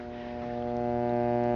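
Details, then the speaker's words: Guitar amp with failed electrolytic filter capacitors: loud, steady buzzing hum with a rich, horn-like tone, the 100 or 120 Hz rectifier hum through the speaker, unlike 50/60 Hz filament hum or line noise; may bring ghost notes. "pretty prominent right there now the hum that you're gonna hear from a failed filter capacitor is different from the hum that you might hear from say if there's interference from Lights or noise in the line"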